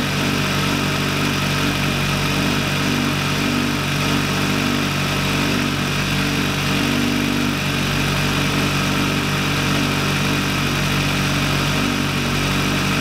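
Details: VW Lupo 1.8T with GT30 turbo, first start after engine damage and rebuild (H-beam rods, new bearings, 2 mm head gasket): steady, even idle with a smooth low hum, no knocks, ticks or misses; runs very well.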